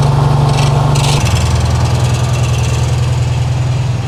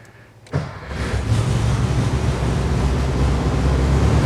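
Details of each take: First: 1968 VW Karmann Ghia, new 1600cc dual-port engine, cold on high choke: uneven lumpy putter at fast idle that drops and settles lower; rough cold idle, oil pressure about 70 PSI, heat tubes not yet fitted, tuning still needed. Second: 1968 VW Karmann Ghia with new 1600cc dual-port engine, pre-delivery before road test: catches after short crank and settles into even low steady rumble, no knocks or misses; healthy start, clutch in.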